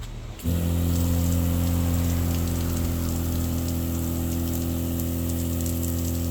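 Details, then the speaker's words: Newly installed SEAFLO water pump kicks on after half a second into a steady, deep hum with no tinny rattle, unlike the old pump, whose tinny sound was possibly from its bulkhead bracket mount despite rubber washers. Running right. "I would say it's a lower harmonic. I don't hear as much in the high frequency, which may have been the bracket mount to the bulkhead, even though it had rubber washers. This sounds more bass, not as much of a tinny sound."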